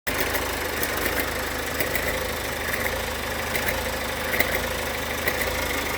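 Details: 2018 Vauxhall/Opel Insignia 1.6 CDTI diesel restarted hot after 50 km driving: steady idle with faint irregular light ticking lasting 30–60 seconds then disappearing, repeating each restart, gone next day; cause unknown.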